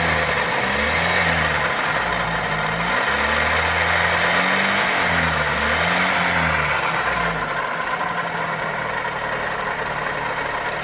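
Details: Toyota 2E engine (Corolla EE90) idling with a fast, fairly regular tick-knock about three per second; source uncertain, possibly valvetrain or connecting rod.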